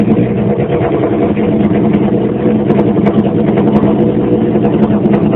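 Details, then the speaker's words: 2001 Honda CBR929RR with Black Widow exhaust, no muffler, warming up before an oil change; loud, raspy, steady burble with small throttle blips and no stray knocks; normal cold-start idle. "I'm going to fire it up, let it warm up, and then I'm going to drop the oil."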